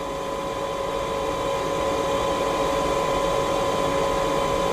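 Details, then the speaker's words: Chinese diesel greenhouse heater on a 12 V battery, shutting down: steady high fan whir with a fixed humming tone, no rattles, fan running fast to cool the heater before it switches itself off; normal cool-down fan run. "as you can hear the fans working overtime now to cool it down fast and it will turn itself off very very soon"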